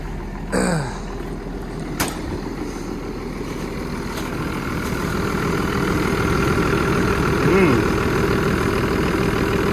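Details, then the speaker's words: Diesel plant machine with injection pump (own lift pump) in cold weather, just restarted, idling evenly, ticking along about four beats a second with no misses or knocks; settled, healthy engine. "Hey, it does go like a. It's just tick away, tick away."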